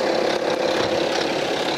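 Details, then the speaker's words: 2011 BMW X3 (F25) 30d 3.0 diesel, N57 engine, 168,749 km, idling with recorder near the engine: steady periodic metallic chatter over diesel clatter, louder toward the rear; stretched timing chain suspected, later confirmed defective. "아 현재 이 촬영에 경우에는 제가 생각하기에는 소비 타임이 체인이 늘어진 걸로 판단이 들어요 타이밍 체인 소음이 라고 생각이 들고요"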